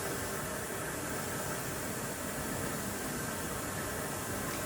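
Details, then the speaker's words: LG WM4000HWA TurboWash front load washer on Tub Clean cycle, filling with cold water for a rinse after the hot steam wash: steady even hiss of water, no knocks or squeals; normal fill. "with cold water now. as it does say that all rinses are cold."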